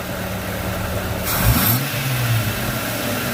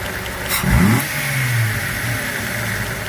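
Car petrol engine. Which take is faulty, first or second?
first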